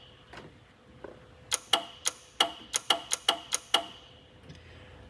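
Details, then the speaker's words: 1981 Lectra Motors Lectra 2+2 electric car (Datsun 310/Pulsar body), junkyard find probably not driven in about 20 years; controller lead connected, 50 V supplied, throttle moved: rapid dry clicking, about eight in two seconds, up front, no motor hum, motor not turning. "nothing smoking let's move the throttle a little okay i'm hearing something click up here"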